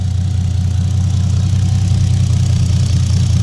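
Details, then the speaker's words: Nissan Skyline R32 GTR after R35 coil pack conversion (old coils crumbled): deep, steady idle rumble with no misses or hunting, settles and holds idle by itself. "Time to start it. And as you can hear, we're running now. I'm not even in the car adjusting the idle."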